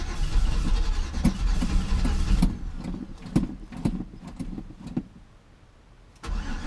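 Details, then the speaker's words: Classic Chevy C10 pickup sat about five years, reportedly knocking engine, carburetor cleaner sprayed down carburetor throat, questionable tank fuel: starter cranks steadily a few turns per second, no catch or firing; crank no start, fuel delivery suspected. "alright I poured a little liquid dynamite down the throat let's see what happens oh she's trying come on baby"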